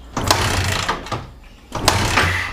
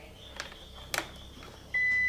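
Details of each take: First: Yamaha Vixion (new) sputtering and dying, starter on weakening battery: slow, labouring whirr in uneven bursts with long gaps, engine never fires; battery voltage apparently dropping. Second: Yamaha Vixion with stumbling and dying on throttle: multimeter continuity test on red wire between regulator/rectifier and battery reads 000 with a clean steady beep; wire intact.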